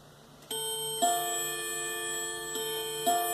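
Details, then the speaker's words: 1980s Leick solid-oak pendulum quartz clock, Tochigi Tokei movement, chiming 11 o'clock after reassembly: clear ringing metal gong strikes, each decaying before the next; normal real mechanical chime. "nice natural sound of a real metal gong and unlike the electronic sounds that come from speakers they are not bad they are sometimes pretty good imitations of that natural sound"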